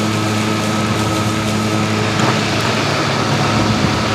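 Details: Stihl RMA510V battery mower cutting at 1.5 inches with eco mode off. A steady electric hum with a smooth blade whirr and grass swishing through, speed holding even under load; cutting normally.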